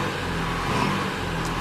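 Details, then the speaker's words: 2016 Renault Kadjar 1.5 dCi (K9K) diesel, stationary with accelerator floored: engine labours at one flat droning note and never climbs, losing power. Restricted airflow, airflow 470 against an 800 reference, from a reversed air filter fitted at a service. "As you can see, it's now labouring on."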